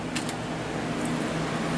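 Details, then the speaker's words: HP D530 CMT Pentium 4 desktop at power-on, before the BIOS screen. A steady loud whooshing drone with a low hum underneath: a noisy cooling fan. "So here we go, let's fire it up. There's a noisy fan."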